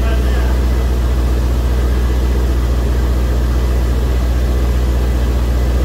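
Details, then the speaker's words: Corvette "Grape Ape" first start since October 2023 after storage, humid day: deep, even V8 idle with steady low rumble, no knocks or misses; no leaks smelled, good oil pressure, temperature rising, charging, sounds healthy. "I think we're going to be okay everything looks pretty good don't smell any [Music] leaks think we're going to be all [Music] right sounds good"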